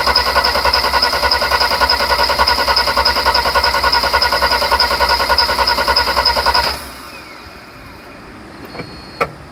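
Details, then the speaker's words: 1991 Mercedes 300SL no-start: about seven seconds of even starter cranking, roughly 3.5 beats a second, then stops without firing; fuel pressure and fuel smell present but fuel not apparently getting through the injectors. "So, getting the fuel up. You can hear the air coming in. But why is it not going through the damn injectors?"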